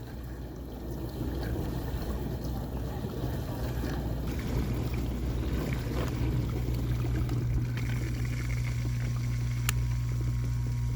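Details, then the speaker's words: KitchenAid KDTE104DSS0 dishwasher after replacing main motor assembly (leaking diverter) and upper rack tracks: quick rinse leak check, steady low motor hum with water sloshing and spraying, smooth run with no grinding or rattles; normal wash cycle. "I'm running a quick rinse just to check for leaks. Everything sounds good."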